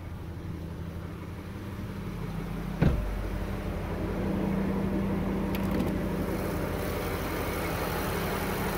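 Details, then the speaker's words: BMW N63 petrol V8 at about 700 rpm, programmed 50 rpm below its regular idle: a low, even idle with a steady deep hum. The engine is running perfectly and the sound is normal. "Perfectly running N63 engine. That's the regular sound, 700 RPM."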